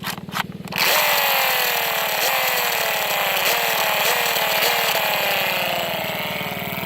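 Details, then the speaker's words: Yamaha YZ250 two-stroke: crisp buzz blipped hard several times, each rev rising sharply and falling back cleanly; strong, healthy engine response. "this is my son's Yamaha yz250 all right there this thing is powerful listen to this engine on this thing guys"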